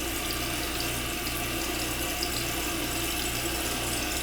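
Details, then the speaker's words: Toilet in the same house: steady hiss of water running into the bowl without let-up as the flapper leaks by and the tank keeps refilling. "Look at that for a flap. That thing's been leaking by."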